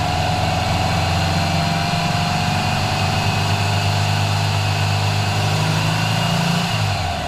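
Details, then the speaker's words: Freshly installed 1904cc CB Performance flat-four with dual 40 IDF Webers in a 1967 VW Bus, in break-in, driving: deep even throaty drone, steady and strong under moderate throttle, easing off at end; healthy. "when you put your foot down, it goes. The sound is fantastic. I hope the GoPro can pick up that sound, because, man, it is good."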